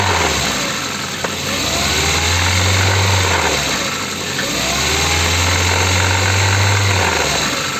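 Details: Ford engine, translated from Russian "engine knocking": idles then revs twice with a faint rough tapping over the rumble; knock present, cause unclear.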